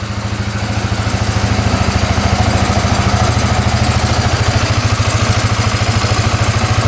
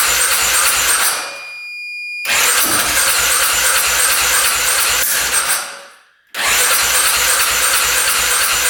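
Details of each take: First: 2010 Polaris Sportsman 550 EFI ATV, running after cutting a clogged case breather line: steady even low putter at idle about 160 pulses a minute, no misses, knocks or smoke, settles back after revving; normal idle. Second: 2010 Polaris Sportsman 550 EFI ATV that hadn't run in years, cranking right after a clogged case breather line was cut: long even starter runs about three turns a second, seeming to want to catch but not starting.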